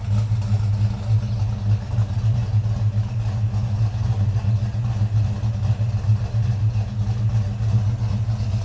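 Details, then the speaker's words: 1968 Ford Mustang Fastback GT J-code, factory-correct 302 V8, stroked, with a big cam and 4-speed manual; deep, lumpy V8 rumble with a steady choppy beat, even and strong with no knocks or misses: healthy engine, no leaks seen. "Sounds good, guys. It runs good. I mean, listen to that. Good rumble. It's got a nice cam in it."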